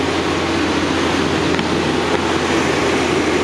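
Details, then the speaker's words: 2013 Dodge Ram 5.7 Hemi V8, about 70,000 miles and eight years old, cranked after a spark plug change: steady, even hum with no misses or stumbles, smooth and consistent. Healthy engine running cleanly. "all right everything sounds good i'm gonna call that done"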